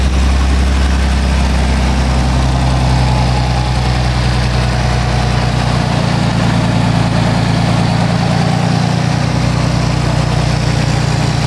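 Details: 1920 Locomobile, first run after rebuild: old engine chugs along with a deep, even low rumble, steady beat and no knocks or rattles; running sweetly.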